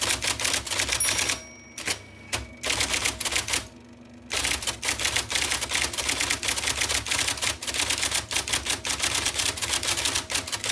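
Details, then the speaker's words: 1979 IBM Selectric II (non-correcting), revived after fixing a miswired plug and cleaning and lubricating: crisp, even rapid strikes several per second, short pauses, faint motor hum; normal typing. "There is such a wonderful tactile experience from this typewriter. I love that noise. It's very definite. It tells you in no uncertain terms, I am typing letters for you."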